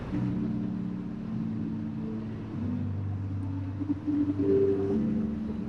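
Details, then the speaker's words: Church PA: music plays dull and boomy with only bass and low mids, no highs, first feared burnt tweeters or horns but traced to speaker cabling. "Sendo sincero, eu fiquei morrendo de medo, porque você só ouvia grave, médio grave. Isso era um grande indicativo de corneta ou Twitter queimado."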